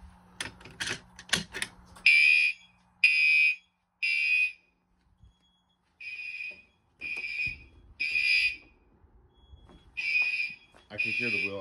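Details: Fire alarm system test with a Wheelock MT horn, now powered at 24 V instead of 12 V, which had made it flash on only every other code-3 pulse, re-alarmed from the pull station. High-pitched horn blasts in a clean, full temporal-3 pattern, sounding properly.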